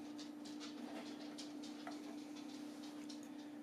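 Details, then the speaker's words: Arctic F9 fan on the CPU cooler in a DIY HP ProLiant G6 TrueNAS build: very soft, steady low hum with even airflow hiss and no rattle; a healthy, quiet fan. "we have the Arctic F9 fan here here and this is just temporarily and as you can hear it's pretty damn quiet"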